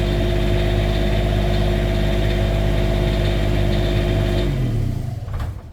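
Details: Cummins Onan RV QD 8000 diesel generator on a Jayco Seneca RV, just after oil, fuel and air filter service and fuel priming: steady even drone with no knocks or misses, then winds down cleanly at shutdown; running normally.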